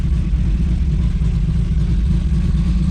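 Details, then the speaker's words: Built 2JZ-GTE in a 1995 Toyota Supra at a lumpy, uneven idle with a steady low stumble about twice a second. One cylinder isn't firing, traced to an unplugged injector, after a spark checker showed no result on it. "Still nothing. And the other one's good. Oh, man. That is like some devastating news."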